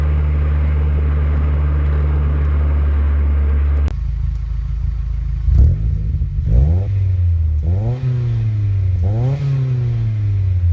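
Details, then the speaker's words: MPS with newly installed mufflers: a deep, steady drone, then several smooth rev swells rising and falling with throttle, less droney than before. Clean, healthy exhaust note. "we've got the exhaust done it sounds awesome"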